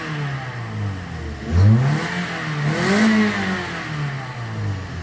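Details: 2010 Toyota Corolla XLi petrol engine after fault codes P0340, P0368, P1605 cleared (complaint: stalling, poor throttle response); picks up cleanly in two quick blips and settles smoothly, no stumble or rattle; normal revving.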